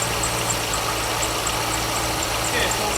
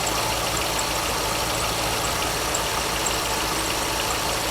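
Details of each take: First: 2002 Corvette Z06 at idle with a squeak at the front of the engine: quick repeating high chirps that keep pace with the engine. Serpentine belt squeak. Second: 2002 Corvette Z06 with a squeak traced to the front belt drive; the engine idles smoothly and evenly with a steady hum. Soap applied to the belt makes the squeak disappear entirely, which confirms the belt as the source.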